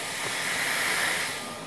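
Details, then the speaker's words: Clarks 1.5-gallon air compressor, motor off: soft steady high-pitched hiss swelling and fading as tank air bleeds out the oil-fill cap vent; owner suspects worn piston ring (repair needs three rings and head gasket). "hissing sound that is coming out here and this this is just the oil fill up plug so the the air is just draining through there and I've been told that's the piston ring"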